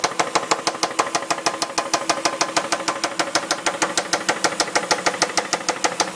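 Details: 2002 Dodge Intrepid R/T 3.5, 60,000 miles, sudden knock at idle: sharp, regular ticking knock at about two per second that sounds like a loud rocker. Compression was 140–180 psi; new rocker assemblies, timing belt and water pump did not change it. Rod bearings are suspected next.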